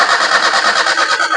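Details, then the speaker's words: Maruti Suzuki Alto that stalled while driving, now cranking steadily at normal speed but never firing; battery and starter motor test fine, so fuel delivery is to be checked next. "Engine crank അതായത് engine കറങ്ങുന്നുണ്ട് വേറെ പ്രശ്നമൊന്നുമില്ല. പക്ഷെ വണ്ടി start ആവുന്നില്ല."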